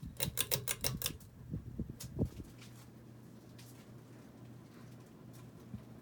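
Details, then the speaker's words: Dynasty 52-inch hugger ceiling fan CF-HA52 from January 1988 switched to high speed. After a few clicks it settles into a steady, even low hum with no rattle or wobble, humming less than on medium. Normal running on high. "I definitely does hum more on a medium speed in a high speed definitely it's a good AI mover for what it is"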